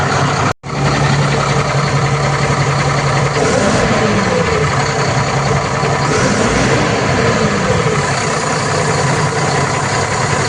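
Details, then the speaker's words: Tata Signa BS6 truck diesel after throttle input: loud steady airy hiss near the turbo, sounding like an air pressure leak but actually a faulty exhaust throttle valve (ETV), which needs replacing. "ये आवाज ऐसा लगता है जैसे हवा leak हो रही है। लेकिन है ये हवा लीक होने का नहीं है आवाज। यह ईटीवी का आवाज है।"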